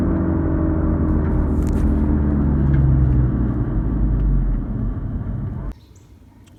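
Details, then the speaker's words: 2007 VW Jetta GLI, 2.0L turbo, nearly 250,000 miles, coasting out of gear on a test drive: deep, steady growling rumble from a worn rear wheel hub bearing, not exhaust; rear hubs replaced. "that was not exhaust noise I was out of gear just drifting along and that that Rumble is actually the sound of this wheel hub"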